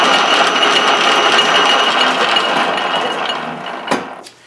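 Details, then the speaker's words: 13-inch South Bend lathe after sliding gear shaft and detent spring repair, lever disengaged: steady whirr with light rhythmic gear chatter from inside the headstock, fading on spin-down; mild headstock gear wear noise, acceptable. "so the only gear noise that we're getting is from inside here that's not too bad considerin is all over here"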